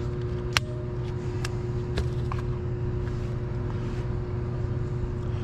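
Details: Blower motor replaced about three weeks earlier, had stopped and hummed due to a failed 5 µF capacitor reading nanofarads; after fitting a new capacitor, motor was a bit hot; steady even hum, no rattling; running smoothly.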